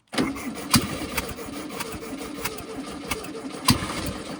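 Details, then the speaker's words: Barn-stored 1968 VW Baja Bug, dormant for decades, after re-cleaning the points when no spark was seen. The engine sputters with uneven pops and coughs while cranking but never catches. It sounds like it wants more gas; cause unconfirmed. "Come on, baby. Sounds like it wants more gas, but it's such a tiny engine. That's kind of a bad sign."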